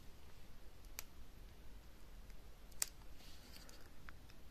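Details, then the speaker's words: Remote relay module of a cheap electric-scooter unlock box (Weebot Zephyr), programmed in latched mode: remote button A closes the relay, button B opens it. Two crisp clicks about two seconds apart in a quiet room; normal switching. "Si j'appuie sur A, on entend le relais qui se ferme. Si j'appuie sur B, on entend le relais qui s'ouvre. Vous pouvez vérifier ça avec le petit clic."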